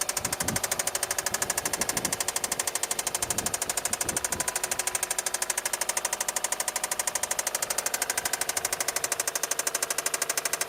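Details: 2008 (MY09) Subaru Forester at idle: sharp, very even metallic knock throughout, from a failed big end bearing; engine replacement being considered.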